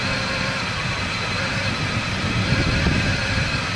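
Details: 2003 Mustang Cobra: starter churns the engine steadily at three to four pulses a second but it never catches; crank no start.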